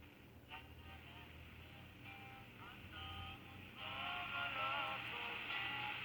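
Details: 1960s Americana (Panasonic-made) handheld transistor radio after repair of a frayed connection and the headphone/speaker switch; clear station music and voices over steady hiss, treble cut near 3 kHz: receiving and playing normally.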